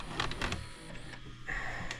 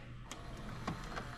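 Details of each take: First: Cheap late-model DVD/VCR combo from Goodwill with a burner tape: short whirring motor bursts and clicks that start and stop without threading the tape. The tape loading arm is stuck. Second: Cheap late-model DVD/VCR combo from Goodwill, after the fix: light clicks and a soft, even whirr as the tape threads around the head drum and plays. Normal load and play.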